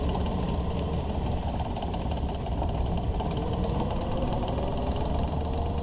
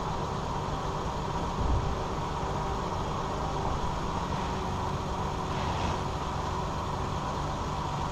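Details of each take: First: 2001 Ford Ranger at walking speed: steady clattering, clicking rattle from under the truck, from the worn front driveshaft CV joint with missing boot; also driver-side vibration at 50-60 mph, ongoing over a month; CV joint later rebuilt. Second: 2001 Ford Ranger 4x4 driving after front driveshaft CV joint replacement; steady road and engine drone, and the rattle heard at slow speeds, with vibration at 50–60 mph, is gone: normal driveline, no rattle.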